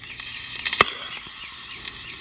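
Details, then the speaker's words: Side-feed pool auto-fill leveler valve after replacement, water supply turned back on: steady high hiss of water flowing in with one sharp click; the valve shuts off when full. "so when this drops when the water level and pool drops this goes down and opens see the water flowing in there and then when the water gets full enough this lifts shuts the valve off"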